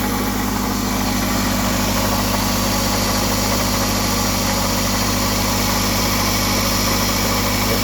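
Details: 2005 Toyota Camry engine at idle, steady hum with light rapid ticking about three per second; owner suspects the tensioner, source unconfirmed, before replacing timing chains, guides, tensioner and water pump.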